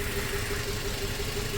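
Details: 2004 Toyota Tacoma 4-cylinder, 141,000 miles, warm idle: regular light stumble as cylinder 1 drops out. New coils and plugs did not cure it; injector shows a good pulse but is suspected of quitting when heat-soaked. Injector plugged back in to confirm the misfire.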